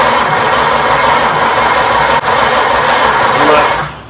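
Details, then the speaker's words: 1926 Oakland revived after 75 years, fuel may not yet have reached the carburetor and throttle use still being learned: starter grinds the engine over evenly for several seconds without catching; cranks but won't fire. "I'm not sure we got gas in there yet."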